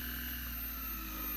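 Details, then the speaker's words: PEL DC inverter AC after F9 error repair, set to 16 degrees, compressor switched on; steady even hum with constant high whine, no knocking or rattling; inverter compressor running normally. "अभी हम इसको, ये देखें set temperature 16 है और ये कंप्रेसर जो है ये ऑन हो चुका है। ये आप सुन सकते हैं इसकी साउंड, ये देख सकते हैं आवाज़ आ रही है आपको।"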